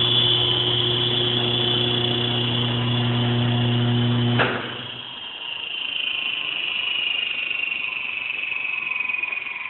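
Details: Failing opposite-drive-end bearing (believed 6309 ZZE), not yet fully failed, on a 3-phase 20 hp Baldor Super E motor run at 230 V, 1800 rpm: steady hum under a harsh high whine, then the whine falls as it coasts down after switch-off.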